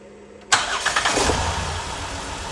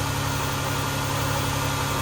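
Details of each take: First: 2011–2016 Chrysler Town & Country with P0300/P0306 codes, started to read misfire counts on the scan tool after a reported earlier spark plug and wire replacement; a starting burst then a rough, uneven, stumbling idle, with cylinder 6 the only one misfiring, from a failed ignition coil. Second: 2011–2016 Chrysler Town & Country after ignition coil replacement, which fixed the cylinder 6 misfire (P0300/P0306), with the scan tool showing no misfires; steady, even idle with a constant low drone and no stumbles, normal idle.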